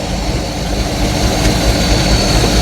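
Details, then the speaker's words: Free project boat just revived: deep steady idle, even firing, no misses or knocks; smoking oil from oil dumped in the cylinders to free them up, alternator belt flopping. "Definitely smoking oil from all that uh oil that we dumped in the cylinders to free them up. But it is [Music] running."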